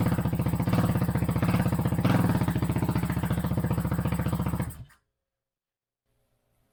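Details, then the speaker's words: 2008 Kawasaki KFX450R sport quad, sat unused and would not start, running on its original fuel injector: deep, even thumping idle, loud and raw until shut off; exhaust baffle tampered with, owner may repack it; smoking seems to have stopped. Normal running. "actually sounds pretty good. It's very loud. This Baffle, something they've taken it apart or something. I'm gonna have to get back into that and maybe repack it."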